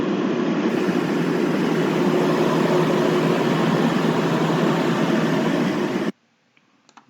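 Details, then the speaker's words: Blower fan with failing bearings; constant dull, low, even droning rumble like a car engine bay, then it stops. "자동차 엔진룸 같은 거 저거는 지금 이제 둔탁하게 자동차 엔진 룸처럼 들리는 건 베아링이 나가고 있는 상황이에요"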